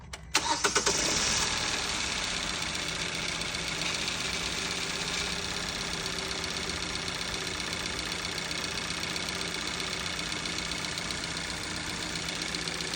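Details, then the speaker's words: 2018 Kia Soul+ after fuel injector replacement, with earlier codes P0087 and P2192 and both fuel pumps already changed; cranks and catches quickly to an even idle with a light tick, starting smoother, but the fault remains unresolved. "That sound like it started up smoother."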